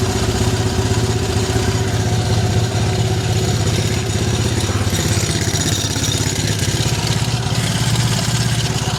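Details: Triumph Bonneville twin after the right-side spark plug problem was fixed: even, firm idle thump, both cylinders firing with no stumble or miss; running properly, spark plug issue confirmed as the cause.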